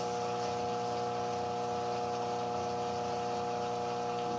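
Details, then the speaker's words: Electrolux washing machine not spinning, making strange noise: steady fixed-tone electrical hum as motor tries to turn but never picks up speed, stalled by seized bearings. "realmente é isso tentou tirar mas não foi então quero adiantar para vocês aqui o tio esperar não vai rodar"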